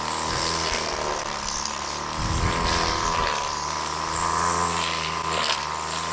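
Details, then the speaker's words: Old two-stroke Flymo Maxi Trim petrol strimmer after carburettor clean and a homemade Scotch-Brite air filter: a high, steady buzz held at full revs while cutting thick growth, no stumbling or cutting out; running normally. "so that's working really well we've got a decent amount our there is when we get it in the thick stuff it's not killing it it's holding its own"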